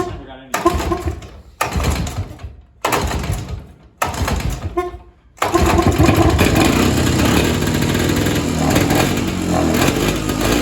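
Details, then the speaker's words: Evinrude Bobcat 25hp two-stroke snowmobile sat 20+ years, after carb diaphragm stack refitted: four pull-start tries, then ragged, wavering buzz that never settles; can't be tuned, owner suspects air leak or hardened carb diaphragm. "The Bob Rat isn't running the best. I can't really tune it. So, I'm suspecting either air leak or that diaphragm that was hard in the carburetor's probably giving us trouble and I'll need to get a kit."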